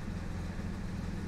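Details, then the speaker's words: Jaguar XJ6 Series 3 at idle during rough-idle diagnosis, running on a swapped ignition coil: low hum with a slight unsteady wobble in firing; the new coil barely helped, and the uneven idle traced to a misadjusted sensor. "when it settles down there it does have that typical uneven Idol"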